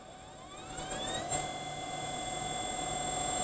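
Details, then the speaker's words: Dell-branded (IBM) LTO-8 Ultrium external SAS tape drive attached to an HPE MicroServer G10+ v2, rewinding about 38 GB of tape: a steady whir whose tones climb then settle into an even, fairly quiet high whine; normal rewind. "Oh, it's really not that loud. So, that was longer than I thought it would be to rewind what is equivalent of 38 GB worth of tape."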